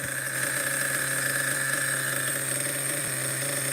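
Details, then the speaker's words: Schumacher XTR-3E nitro stadium truck on first fire-up, engine very cold: steady, even buzzing idle with constant high whine, no misses or surging; proper runner, idle a little average; later died, judged too rich. "I think it's settled down a little bit now this is a proper Runner idle is a little average I would say"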